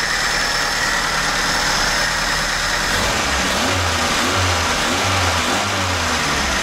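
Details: VAZ 2104 carbureted petrol engine with complaints of high idle, hard starting and deep hesitation: steady, smooth idle sitting noticeably fast; ignition coil, wires and rotor check good on a motor tester, idle speed set too high.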